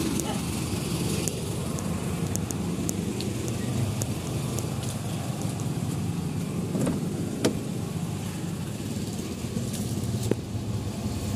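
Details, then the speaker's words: Nissan MR18 engine after a misfire fix (injector cleaned, fuel suspected contaminated): low even idle rumble holds steady with no stumbles or dips, RPM steady, misfire gone; normal idle. "So, ayan. Wala naman ang pugak. Na-testing na rin naman na sir, okay na. Steady na yung RPM niya, so okay na to."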